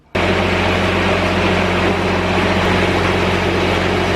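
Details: Grasshopper 322D diesel zero-turn mower after replacing corroded fuses for a starting problem: steady, even diesel hum at constant speed, no knocks, misses or rattles; running smoothly.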